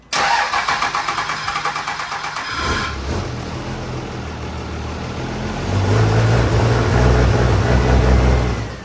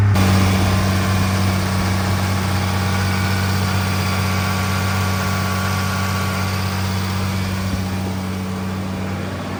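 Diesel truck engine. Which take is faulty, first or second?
first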